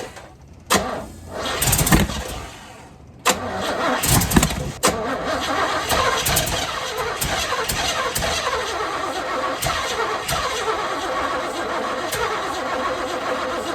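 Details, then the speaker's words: 1978 Chevy Camaro with a rebuilt, apparently cammed 350 small-block: short cranking bursts, catches and runs uneven and lumpy, won't hold idle despite adjustment; throttle later found not returning properly. "They are opened a lot. They're all adjusted properly. They're all good. Why isn't it idling?"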